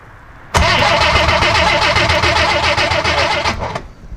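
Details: 1963 Rambler Classic 660, sat a long time, points being cleaned and adjusted: steady starter churn about four beats a second for three seconds with no firing; engine cranks but will not start, spark looks yellowish.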